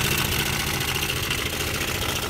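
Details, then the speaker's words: Honda Air Blade scooter at steady idle: busy, tinny rattle over the engine note, loud on one side, quieter on the other; cam chain slapping from a failed tensioner. "bây giờ anh em bị sao đây này hợp phần bên này kêu khá là to đúng không ạ Đây là da đen pi anh em nhé tốc độ cầm chừng"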